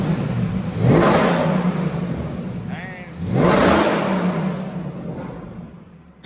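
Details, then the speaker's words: 2014 Mustang GT Coyote V8 after a build to about 800 hp with a Gen 3R supercharger, free-revved in neutral with the parking brake up. Two quick revs climb and fall cleanly with a deep roar and faint supercharger whine. Normal revving, much different than stock. "That sounds sweet. A lot different than stock, huh?"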